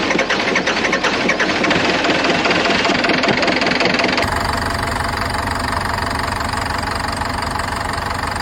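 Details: Chevrolet Tahoe after fuel pump replacement, cold Calgary snow, after extended cranking: rough, choppy cranking gives way to an even, steady run with no misses and a smooth idle.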